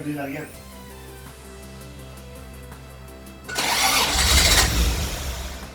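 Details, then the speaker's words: 1977 Toyota Celica RA28 with forced-induction 1G-GTE engine, first start attempt: brief cranking, then it catches with a rough rising roar and dies within seconds. The intake side is not connected, so the airflow-meter-controlled intake gets fuel but no air. "the integral is not connected it's not getting air so pretty much it's just not running it's getting all the fuel it needs but it's not getting air"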